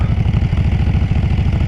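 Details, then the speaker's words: Kawasaki Brute Force 750 ATV V-twin, after cold start, rings, valves and pistons replaced: lumpy uneven idle with irregular pops and stumbles; backfiring, owner suspects cracked pipe or excess fuel, unconfirmed. "is it uh possible that a crack in the pipe could do that backfiring or just a excess of gas there's definitely gas"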